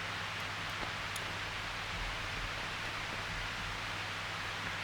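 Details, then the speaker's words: Eventide PowerMAX isolated guitar-pedal power supply under rising load up to about 616 mA: faint steady hiss that stays the same, noise level still about -22.8 dB; supply stays quiet and clean. "nothing really changes like there is a little bit of noise but it's so quiet okay we're at 616 Williams now and the noise level is still at minus twenty two point eight which is ridiculously low"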